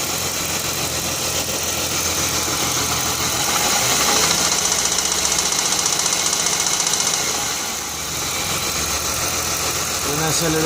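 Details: Jaguar X-Type: engine fine at idle but rapid rattle about four beats a second builds under hard acceleration and fades easing off; cause unknown.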